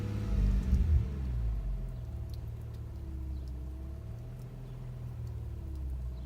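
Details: Subaru 3.0R H6 at idle: uneven, lumpy rumble with irregular stumble, bank 2 misfiring, codes P0302/P0304/P0306; EGR, fuel pressure, PCV, MAF, vacuum and new plugs fine, compression 150 psi all cylinders, cause not pinned down.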